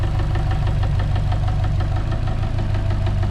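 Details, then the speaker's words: Subaru 2.5 with 450,000 km idling: steady light knock about three a second, loud on the timing cover but silent on the block where a rod knock would be; failed timing belt tensioner. "you put it on the timing cover it's loud as hell you put it on the block where a rod knock would be loud it's silent so something in the timing cover has failed"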